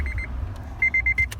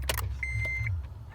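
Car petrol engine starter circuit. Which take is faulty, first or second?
second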